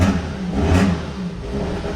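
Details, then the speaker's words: 2014 Dodge Dart 2.4L MultiAir started after a used MultiAir brick was installed: the engine rises and falls cleanly through a quick rev with no stumble and sounds much better than the previous brick, though a check engine light is on. "I think that sounds way better than the last brick."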